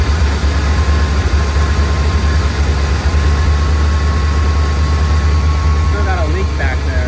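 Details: 1979 Corvette L82 V8 after reconnecting a vacuum line, idle screw adjusted but idle not fully lowered, choke fully open: steady, even, noticeably fast deep idle, no hunting or miss; high idle.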